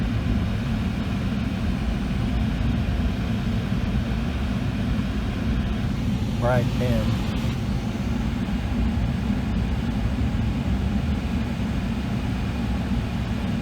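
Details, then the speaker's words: Outdoor AC condenser of a Comfortmaker gas furnace system switched on after the 24 V transformer was replaced: steady low hum starts and holds evenly, no rattle, squeal or cycling; normal running. "all right so let's see what happens when we turn on the switch i hear the condenser"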